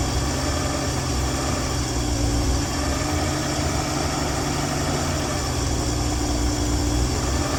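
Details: 1965 Dream van engine idling steady and even with smooth low rumble, no misses, knocks or ticks, after wiring short repair and horn relay replacement, restarted after dead battery with no leaks; running healthy.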